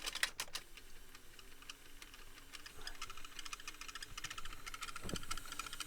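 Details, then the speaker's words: Denon DRM-650S cassette deck during playback: irregular dry ticks and clicks over a thin wavering squeal from the tape transport; owner suspects worn belts or lack of lubrication after long disuse, not confirmed. "The squeaking and the clicking. I don't know if it is actually a belt issue or whether it's just because it hasn't been used for ages. It's making all these like horrible noises."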